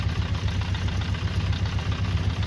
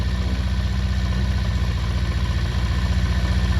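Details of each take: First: 48-year-old Honda CB400 Four: low lumpy idle below 1,000 rpm (should be 1,200) with uneven chuffing and no clean beat, burning slight oil; carburettors out of balance, needing synchronising. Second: 48-year-old Honda CB400 Four after carburettor balancing (set to 1.2 per the manual), normal idle: a steady, even low tickover with no hunting or misses.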